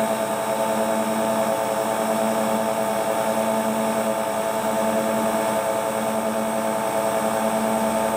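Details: Hotpoint Ultima WT960 7kg washing machine, after repair with brand new replacement belt, test spin: steady even hum, constant motor tone, no knocking, slapping or scraping; drum spinning smoothly on sound belt, normal.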